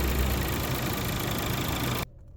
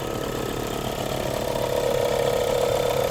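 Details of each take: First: 2022 Volkswagen Polo Liftback 1.4 petrol idling after alternator servicing: steady even hum, the earlier alternator noise (which vanished with throttle) now gone or much reduced. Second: VW Polo Liftback 2022 1.4 petrol at idle: quick, fairly even ratcheting rattle about four a second near the engine that disappears when revved; the fault is the alternator, and the noise stopped after alternator servicing.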